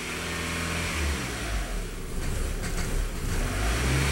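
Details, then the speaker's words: 1999 VW Passat 1.8L turbo held at raised revs sags and wavers as if wanting to die, recovering to idle when throttle released; owner suspects mass airflow sensor, later confirmed faulty MAF. "just wants to die really bad but I think that's a problem but you lay off of it it'll come back and it'll idle"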